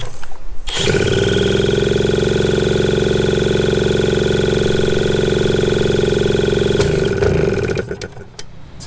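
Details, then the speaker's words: 1981 Suzuki TS250 two-stroke enduro, long parked, fresh B9ES plug: engine catches, runs a little better, then shoots to a high steady scream with no throttle change for several seconds before dropping; runaway revving, owner suspects ignition issues. "And it caught and then it kind of ran a little bit better and a little bit better and then all of a sudden I just started going nuts. So, I don't know what's going on there."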